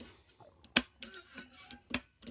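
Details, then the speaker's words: Original NES cartridge tray pushed down: sharp crisp plastic clicks as the metal pin pops over the end of the plastic guide; partway through fix of enlarging guide cavities with a rotary tool, still slightly clicky. "Still a little clicky. So it's still popping over the end there."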